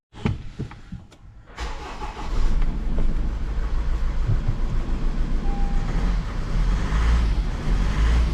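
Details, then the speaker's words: Honda CR-V with a crank-no-start complaint and codes P0203/P1043 for the number 3 injector circuit, injector unplugged: cranking catches, then an uneven, lumpy, misfiring chug; the injector is judged faulty. "and there we go I can't restart him but he's got a heavy misfire"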